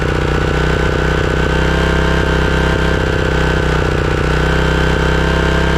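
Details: Craftsman riding mower engine after replacing completely clogged carburetor that caused surging: steady even beat at constant speed, no hunting or surging; normal running.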